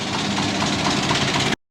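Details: Big-turbo Subaru Forester with external wastegate, street tuning wastegate duty: even, steady engine note with no misses, briefly cut, then same smooth run; running normally.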